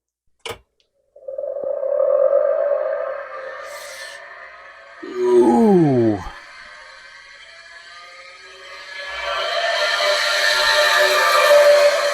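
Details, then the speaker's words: IBM 5160 PC-XT hard drive at power-on after restoration of mouse-nest-damaged board: loud rising warble and squeal, then steady high whine; rough spin-up, dry spindle bearing suspected, yet it boots to a C prompt. "Oo, that didn't sound good at all. Let's see what happens, though. Really hope I caught that on mic cuz that sounded awful."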